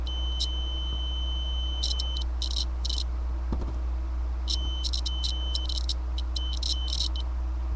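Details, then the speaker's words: Datsun 280Z ignition switch continuity test as the key is turned: the tester beep cuts in and out in ragged bursts from trashed contacts. These are blamed for starter clicking, ECU resets while cranking and rich running. "you can just hear how nasty and whatever the contact in there is in there it's completely just trashed"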